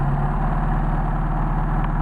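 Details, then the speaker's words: Warm Mercedes 190SL at water temperature on worn Solex 44PHH carburetors, rebuilt without machining after someone badly bushed the throttle shafts. It holds a fast, even idle of about 1250–1300 rpm because the worn carbs draw excess air. "But if you can live with the high idle, you've got some carburetors that you can probably live with. Right now we're up to water temperature, and we got an idle of about 13, 14, about 1250, 1300 RPM."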